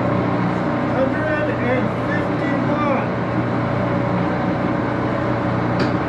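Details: Axelson 14x30 heavy-duty gear-head lathe, headstock on AW68 hydraulic oil: steady hum, light gear whine and faint rising whistles while changing speed; noisy but normal gear whine.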